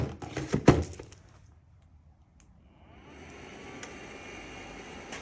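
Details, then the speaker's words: EGO 56V lawnmower battery charger after replacing its noisy cooling fan with a different-make fan: after a few handling knocks, a quiet, even fan whir holds steady. It is now running normally. "So, let's see here. That's your fan. Yeah, it's a different make than the old one, but it's exactly the same."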